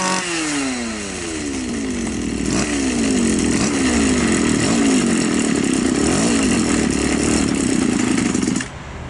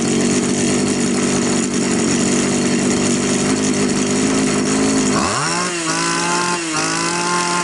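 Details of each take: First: Two-stroke Champion grass trimmer with non-adjustable carburettor (only idle screw) runs with wandering revs then stalls at idle, yet runs fine under throttle; idle speed set too low, fix is raising the idle screw. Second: Champion T266 trimmer, which had been hard starting and stalling at idle, after raising the idle screw on a carburetor with no fuel mixture screw: high buzz drops to a slightly wavering idle that keeps running; idles normally.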